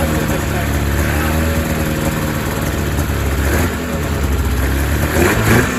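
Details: 2000 Ski-Doo MXZ-X 440 two-stroke race snowmobile, fuel system flushed, running without airbox: slightly uneven, muffled low idle before throttle blips; owner thinks it runs a little fat, loaded up and choked at low end, tuning pending.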